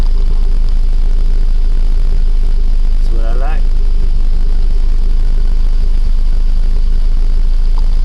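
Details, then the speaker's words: Rebuilt 1.9 engine, probably an Escort, after dropped valve seat repair and new timing belt, warming up: steady, smooth idle around 850–900 rpm with even low beat, no ticks or stumbles; cooling fan not yet on. "like temperature is getting up there that airbag light was on before bridling somewhere around 850 900"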